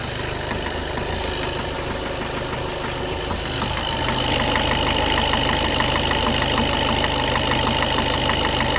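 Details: Skoda Octavia A7 2013 1.6 TDI, 188,000 km, cold start at 21°C: steady rapid knock about three per second at idle, which disappears once the engine warms up. Cause not identified.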